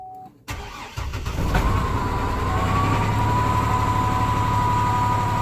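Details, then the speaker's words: 2005 GMC Envoy 4.2L with code P0017 (earlier P0014), VVT sensor replaced, oil and filter changed: rough idle with a steady popping about four times a second after start; source unknown, cause suspected, not confirmed. "the V V T has been changed oil change oil filter and starts up rough idle and I have this noise"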